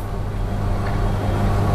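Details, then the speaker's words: Milesto Eliane espresso machine steam wand steaming milk with tip floating correctly after lowering the jug: low steady rumble, hiss gone; milk heated to about 45°C (usually 45–50°C). "Nah ini Udah Bagus udah hilang suaranya enggak terlalu kedengaran lagi suara desisan"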